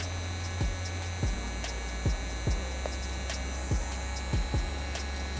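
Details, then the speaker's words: Tamiya Mini 4WD motor run on SkyRC NC2500 Pro charger's motor-run function at 2 volts: steady low hum with thin high whine, faster and louder than at 1 volt, running smoothly with no rattle. "ini yang 2 volt tuh lebih kencang teman-teman suaranya"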